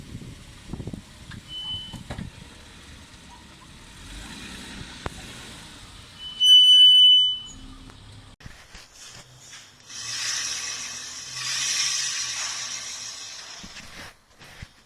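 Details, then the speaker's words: Car coming to a stop: loud, sharp, high-pitched squeal lasting about a second, a classic brake pad wear indicator noise. "Like that noise is a classic wear indicator noise. So, the brake pads on some vehicles have wear indicators, and that is what's making the noise on this car."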